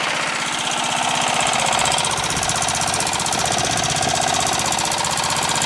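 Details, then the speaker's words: Murray Select lawn tractor single-cylinder engine on a chilly day, after muffler weld repair, at lowest throttle/idle: quick, even popping about three beats a second with no misses; settled idle, though still smoking (owner wonders about pistons). "know what I'm not gonna mess with it sounds great right I was just about to mess with it I'm like why it's fine"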